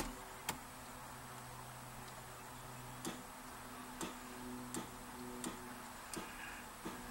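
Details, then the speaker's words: 1967 VW Beetle after soldering and heat-shrinking a starter solenoid wire: starter gives sharp single clunks roughly every second ("tunk, tunk") with no cranking rhythm; it engages but won't turn the engine. "Now I can hear the starter back there going tunk, tunk, tunk. It's really weird."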